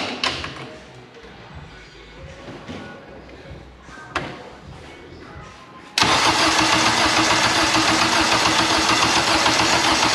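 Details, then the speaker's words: K24 all-wheel-drive Integra on a FuelTech FT600 ECU: steady churning crank about four turns a second that never fires; crank no start, cause unconfirmed. "number two we just swapped the starter because we think it's broken we try again"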